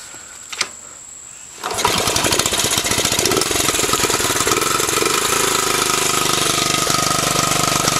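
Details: 1984 Honda Z50R, kickstart, 3-speed centrifugal clutch, in neutral, around 27 years old: one kick and the little single catches at once, settling into a quick, steady, crisp idle with no missing; smokes a little but runs healthy.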